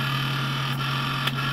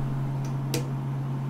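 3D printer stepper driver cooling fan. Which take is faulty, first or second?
first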